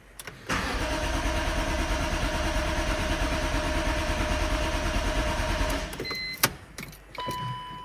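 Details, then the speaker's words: BMW E46 M3 started in neutral with the fuel pump plug removed (before fitting an AEM 340LPH in-tank pump): it cranks, catches, runs rough about five seconds, then fades and dies, a stall from fuel starvation. "we can go ahead and start the car and it'll die because the fuel pump is not connected anymore"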